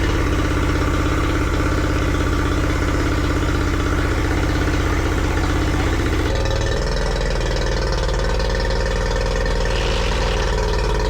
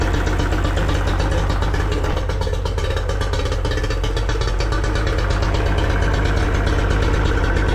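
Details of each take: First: Yamaha 40 hp two-stroke outboard that had been cutting out under load with a rough idle, now running after its cracked fuel lines were replaced. A smooth, even buzz with no misses; it revs high and holds under load normally. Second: Yamaha 40 hp two-stroke outboard running rough at low idle with uneven, stumbling beat, blue smoke and unburned fuel; cuts out or bogs under load, pointing to fuel delivery or ignition problem.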